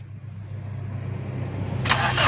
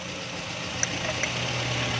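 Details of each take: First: 2008 Toyota Corolla, petrol, cranked on the starter with the ignition coil pulled to check for spark: steady rising whirr but the engine never catches; no spark at the plug, crank sensor wire to be checked next. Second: 2008 Toyota Corolla after repairing a sensor wire broken inside that caused a no-start: the engine now starts and settles into a steady, even idle with a low, quiet hum and no misses or knocks; normal idle.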